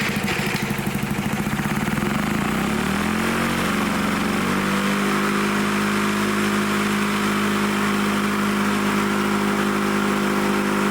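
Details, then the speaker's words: Lawn-Boy Loafer dual-engine rider, front mower two-stroke, carburetor leaking gas, needle set about one and a half turns: uneven revving settles to a steady even buzz that stays running; normal running, kill wire not working. "but it runs we got running didn't need much again"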